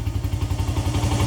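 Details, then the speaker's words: 1994 Honda XR100R, unstarted for 17 years, carb serviced and idle screw replaced, started on first kick and still cold: quick, even single-cylinder thumping at a steady idle with no misses or clatter, idling cleanly. "That sounds pretty damn good, dude. Wow. I'm sure it has to warm up a little bit."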